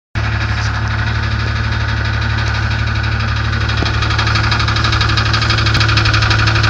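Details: 1994 Grand (4.0 litre) engine idling: low drone with regular internal knock about three beats per second; cause not determined.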